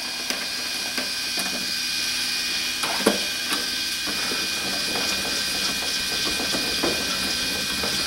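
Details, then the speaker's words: Power case trimmer cutting 5.56 military brass, high motor whir with irregular light ticks and clicks as the cutter chatters, turning smooth once the cut is done. "one you might even be able to hear that kind of chattering as it's cutting it down once it sounds all smooth it is"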